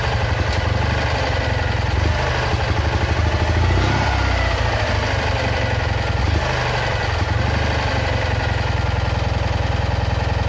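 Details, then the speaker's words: Citroën Ami 8 engine under restoration, hot: stumbling idle with uneven, skipping firing pulses, heavy sparking at the breaker points, weak plug spark and coughing through the carburettor; misfire blamed on a faulty ignition condenser. "J'ai trouvé la cause du condensateur. C'est sûr et certain que ça vient de lui."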